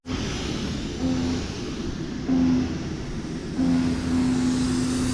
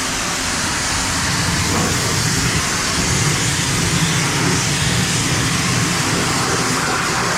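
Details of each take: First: Paint sprayer pump surging: low whine cutting in and out about every second as the owner says the spray tip is plugged up again, choking the flow. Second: Paint sprayer pump running steady after air was purged from the line (air had entered when the water hydrant was shut off); loud, even rushing spray with constant pump note, no surging or sputter, then cuts off.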